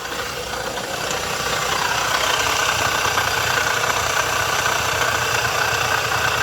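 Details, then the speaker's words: Nissan Versa three-cylinder engine at idle, also overheating: a steady gritty whirring bearing noise, not the belt, comes from the water pump over an even idle. Water pump bearing noise. "o barulho não é esse da correia não o barulho é como se fosse um barulho de rolamento e o barulho Tá vindo da bomba d'água"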